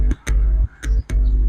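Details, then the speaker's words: Intex home theater with one speaker very low: short low hum bursts, about three in under two seconds, when the input is touched, heard on both channels; amplifier stage fine, card may not be outputting audio signal. "दोस्तों यह इसका मतलब यह हुआ कि humming आने का मतलब कि हमारा जितना भी यहां से प्रोसेस है सब कुछ सही है"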